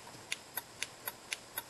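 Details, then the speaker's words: Relay driver circuit driven at 3.3 V from a Parallax microcontroller GPIO, relay switched on and off by program: sharp crisp clicks about four times a second, evenly spaced, LED showing coil power; normal relay switching. "you can hear they're really clicking and you can see the LED come on indicates power to the coil to the relay coil"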